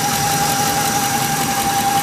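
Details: 2004 Ford F-150 Lariat V8 at idle: a steady high-pitched whine from the engine, source unidentified; truck also shakes badly when driven, emits white smoke, no codes; cam position sensors and spark plugs already replaced.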